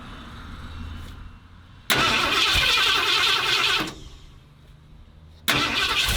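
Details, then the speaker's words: 1977 Ford F-250 460 V8, first start after 19 years and an engine fire. The engine catches twice in short, harsh bursts and runs only briefly; oil pressure shows. It runs only with the distributor pegged to one side: ignition timing well off, may need retiming. "Sounded good for a second. I had to shut it off cuz the distributor's pretty much pegged all the way to one side to get it to run. I might have to rettime it a little bit so it runs better."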